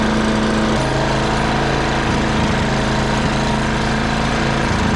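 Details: Free old wood chipper's small petrol engine after a new kit and spark plug gapped at 30: loud, steady, fast chatter with even beat, no misses or surging; running smoothly.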